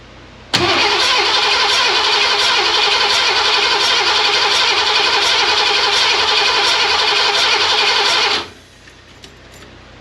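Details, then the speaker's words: Ford 302 V8 in Econoline van that sat for years, after replacing bent #5 intake pushrod: compression test cranking, even ~4 beats per second with no missing pulses; #5 cylinder reads 125 psi, tester only finger-tight, valve sealing. "that's good 100 and what 25 psi so that that's pretty good we got good compression there so the valve is the valve is ceiling"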